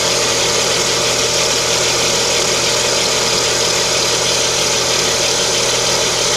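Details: Lada Kalina with 11194 engine at idle: constant high-pitched hiss-whistle that never changes, attributed to the timing belt; whistle at idle.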